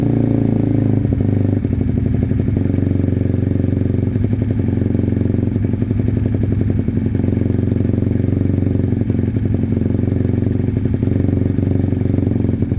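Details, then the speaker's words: Sinnis Cruisestar motorcycle on choke, fitted with a replacement exhaust pipe: lumpy idle with a sharp, rapid puffing chatter. The pipe is not sealed at the head despite shims and is loose, causing an exhaust leak at the header joint. "so it's not sealed at the head properly even with their um shims it's uh it's loose on the pipe"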